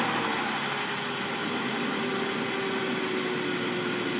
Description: I recorded this noise during a cold start on a 2001 BMW 530i with M54 engine. The mileage is approx. 200.000KM. After a few seconds the noise disappears.